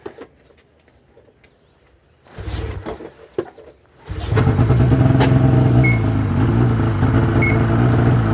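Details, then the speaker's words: 2005 Ski-Doo MX-Z Renegade 600 H.O. SDI, pull-start, after overnight frosty cold soak and fuel pump, pressure regulator and strainer replacement for hard starting: primed once, starts in two pulls and settles into a steady fast idle with no sputter. "should expect to see the RPMs up higher like this something else a lot of the guys are complaining about RPMs aren't up at warm-up temperature go right to the low idle speed"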